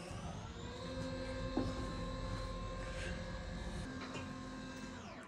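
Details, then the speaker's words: Acorn 130 straight stairlift, newly installed, travelling downstairs: steady low motor hum with a faint gear whine, running evenly without knocks or grinding until it stops automatically; healthy drive. "I'm now going to demonstrate traveling downstairs under stairlift so I'm going to push and hold the direction I want to go and away we go"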